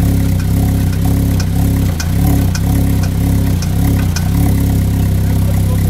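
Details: Vauxhall VX220 / Opel Speedster with a Z22SE engine: heavy idle with a regular knock about twice a second and sharp ticks over the rumble; knock present, source not yet pinned down.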